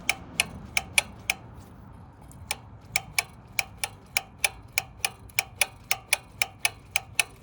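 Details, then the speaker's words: Honda Trail125/CT125 throttle body, throttle worked by hand: crisp clicks about three a second as the butterfly valve hits its open and closed stops. Opens and closes fully; normal, no problem. "here it hit this the the butterfly valve hit the stop all right so this is going to be open okay that was open this is going to be closed"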